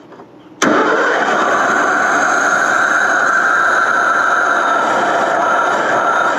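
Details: 1989 Ford F250, first run in years: cranks briefly, fires right off and settles into a steady even idle with no misses or knocks.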